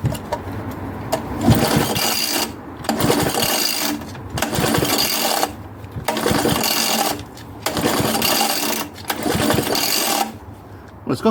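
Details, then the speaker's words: Old Suffolk Punch Mk7 lawnmower under restoration, with no compression after a cam follower and exhaust valve fix: repeated pull-over chuffing on compression that never fires. It cranks but won't start, likely because the spark plug has a huge crack. "Okay, I'm going to let the uh suffic off for now because uh the spark plug's got a huge crack in it. So, that's probably not going to work."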